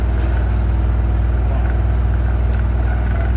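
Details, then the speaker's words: Samsung washing machine on spin: heavy rhythmic thumping about three times a second under a deep steady drum roar, whole machine shaking hard; noise located at the side. "Olha aí, pessoal, a máquina fazendo barulho, ó. Aí as pessoas não sabe onde tá fazendo um barulho."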